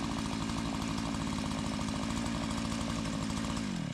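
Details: Tecumseh 2-stroke Mantis-style tiller, restarted warm after carburetor adjustment, in gravel: steady, even buzzing then smooth wind-down when switched off; running fine.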